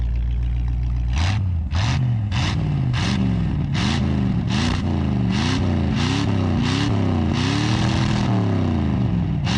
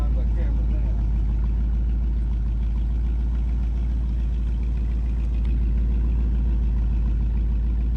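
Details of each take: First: 1958 Chevy Biscayne hot rod V8 with Edelbrock carburetor, possible vacuum leak: repeated hard blips flaring into crackling on top of the roar; pops and cackles out of the secondaries at full throttle, cause unclear. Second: 1958 Chevy Biscayne hot rod V8 with an Edelbrock carb put back in its original position: a deep, steady idle with no misses or hunting, set slightly high; normal idle.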